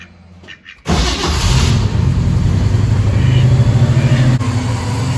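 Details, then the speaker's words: 1969 Pontiac Firebird with Pontiac 400 and Holley Sniper fuel injection, started during the IAC position adjustment with TPS at 0: catches at once, revs up briefly, then drops back to a steady, even low idle; normal. "don't know if you heard that, but it did rev up a little bit, but it goes right back down."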